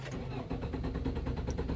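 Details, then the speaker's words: 2005 Nissan Altima that intermittently loses communication with the ECM/TCM and dies. The starter cranks steadily but it never fires after stalling. The TPS signal dropped to zero; the APP sensor or TCM is suspected, not confirmed. "now it's not starting and this this tape doesn't look original"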